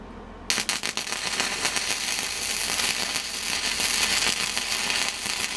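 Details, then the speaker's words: Millermatic 135 MIG welder after trigger/wiring failure repair: after a silent start, steady sizzling crackle holds without cutting out; welder striking and holding an arc normally. "I think we have a welder okay we have a welder but not but not a welder"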